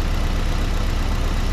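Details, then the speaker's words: Petrol engine misfiring at idle: one cylinder is not firing, giving incomplete combustion and a limping, uneven beat. The repair shown covers the ignition coil, plug cables and spark plugs, and a scan tool is suggested for diagnosis. "kareng Jalan tiga sinilah bermaksud ada salah satu ruang cemberut takde letupan pilih pembakaran tak sempurna give dia ingin jalan timpang"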